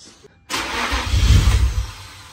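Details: Nissan Stagea NM35 at first start attempt after engine refit, timing checked: deep rumbling turnover swells for about a second and fades with no firing; cranks but won't start.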